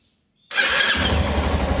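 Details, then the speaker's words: 2015 Yamaha Tenere 250 single-cylinder: sharp snap as the starter motor engages, then the engine catches into a lumpy idle; another snap at shutoff; owner first suspected poor lubrication, but a magnet had come loose inside the starter housing. "motor de partida tá fazendo uns barulho meio estranho na hora da partida da um estalo no início e ao desligar a moto da outro estado"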